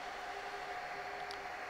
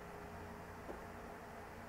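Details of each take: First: Dell R610 server at no load: loud, steady rushing fan whir with two fixed tones, about 74 dB at the front. Failing ambient temperature sensor reads 40C in a 23-25C room, driving fans high; fix is replacing the front I/O board. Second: Dell PowerEdge R610 server at no load after replacing the front I/O board with its failing ambient temperature sensor (had read 40°C falsely): quiet steady fan whir, about 60 dB versus 74 dB before, normal low speed.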